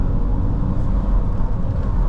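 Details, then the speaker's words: Seat Leon 1.2 TFSI on a road test at full throttle in third or fourth gear at 20–30 mph, revs building; deep, even rumble with no stumbles, no misfires. "we're out in the car all we want to be doing about 20 to 30 mile an hour third or fourth gear unless you just put your foot flat on the board and let that car build up the revs and you shouldn't be getting any misfires"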